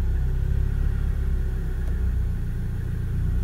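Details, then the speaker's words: Renault Duster, repeat start test after fixing a click-no-start problem by reconnecting the battery terminal: the engine catches and settles into a steady, even low rumble with no misses or knocks. Normal start. "Давайте еще разочек кстати друзья вообще рекомендуется проверить три четыре пять шесть десять раз перед тем как начать эксплуатировать автомобиль"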